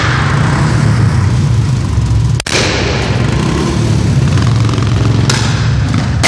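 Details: Royal Enfield single-cylinder running rough, with a sudden dropout and a couple of sharp exhaust pops: engine misfire.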